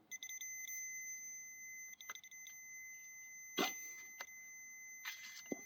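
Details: 1967 Sears 106SS (Gilera) primary ignition circuit tested with an old Radio Shack meter: a steady high continuity beep holds unbroken through the clatter as the wires are flexed, with no dropouts. Continuity is intact.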